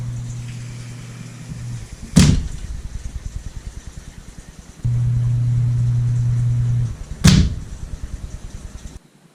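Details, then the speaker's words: Grinder pump's low hum cuts off, then a single loud, sharp thump rings through the pipe: check valve slamming (water hammer) in the pump's exit pipe at shutoff; fix is a spring-assisted quiet check valve. "So yeah, that loud ass thump that you heard was the check valve in the exit pipe from my grinder pump. Incredibly annoying."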